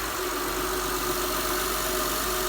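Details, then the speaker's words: 2006 Honda Pilot after water pump and 100k service: first start and steady, even idle with smooth low hum and faint top-end whir, no knocks or ticks; healthy. "sounds good sounds like a high engine it'll run 600 000 miles we hope I think we've got a success on our hands it definitely sounds better than when I first got it"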